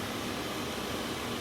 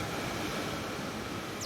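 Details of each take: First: Mercedes Sprinter with key out of ignition, battery dying overnight: steady even blower fan rush with engine off after battery reconnect; blower motor stays on with key off, regulator and wiring being checked. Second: Mercedes Sprinter after replacing the defective blower regulator that kept the blower on with key off: steady airy rush from the blower fan, easing as speed is lowered, no grinding or ticking; normal blower operation.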